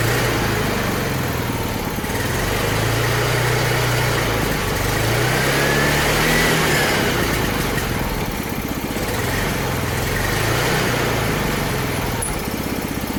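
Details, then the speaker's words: 3D-printed turbo project engine idling with a small single steady thump about four beats a second; it smooths out once the tube is hooked up, seeming to make a little boost briefly; smooth running. "all right another success you can even hear it smooth out a little bit once I hook the tube up"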